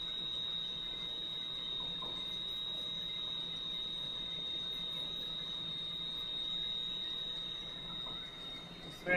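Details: Valve grinder grinding the back of a valve with lubricant flowing, stone run back and forth: steady high-pitched whine running evenly under a light hiss of stone on metal; the grinder is cutting normally.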